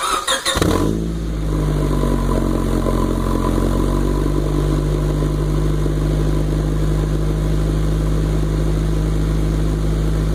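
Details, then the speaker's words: 1996 Honda Civic starting and idling loud, deep and raspy like a motorcycle or modified exhaust; original pipe rusted through with a huge hole under the passenger side before the replaced muffler. "as you can hear um the exhaust basically sounds like you know you might say like a motorcycle or a race car a car with a modified suspens modified exhaust or something just much louter than the stock um the stock exhaust"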